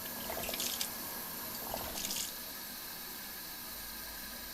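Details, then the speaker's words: Kodak automatic dish siphon washing a print tray, started with a blast of water: rushing water with uneven pulsing gurgles settling into steady flow; that gurgling, pulsing sound means the siphon is working correctly. "yeah there and when you hear that gurgling that pulsing like that you know it's working correctly"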